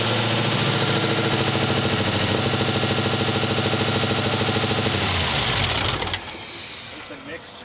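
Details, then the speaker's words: Wrecked 2018 Dodge Hellcat SRT, first start, shooting oil everywhere (suspected oil cooler hose). Rough idle with a regular puffing tick about three times a second, then shutdown. Exhaust puffing; a suspected, unconfirmed exhaust leak. "it didn't sound that bad it sounds like an exhaust leaks going on but engine runs now"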